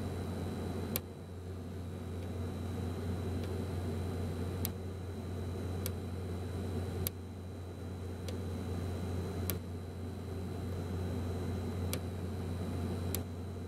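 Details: be quiet! Dark Power 12 1000W power supply after 40–60 minutes under heavy load: random single clicks or short bursts at uneven gaps over a low hum; the faulty unit was replaced under RMA.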